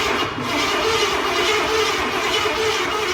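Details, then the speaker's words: 1989 Ford F-150 302 V8 parked for years, rat-damaged wiring, bottle-fed fuel for carb conversion: starter cranks steadily but never fires; no spark, owner suspects the cheap new distributor. "Let's see if we have spark or not. We have no spark."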